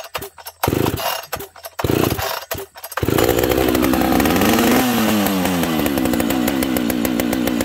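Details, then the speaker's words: Chainsaw that also leaks fuel from a bent hole in its case: a few pulls, then it catches and runs with a wandering, uneven buzz; it idles rough because it has no idle adjustment screw. "this saw has no idle screw on it so it doesn't idle very well it needs some love friends"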